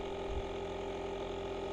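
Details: Quiet, steady buzzing with a fine rapid mechanical chatter at even pitch: the tire inflator of a Multitool JA300 jump starter pumping a small tire to 14 psi in cold weather, normal running.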